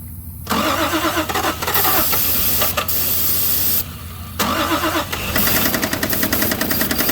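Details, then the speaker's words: Toyota Supra 7M engine first start after sitting since 1995: rough start settling into a fast, steady knock tracking engine speed over idle; rod bearing knocking, not a main. "We got a rod bearing that is not happy. That's not a main. It's got jokes. It said knock knock."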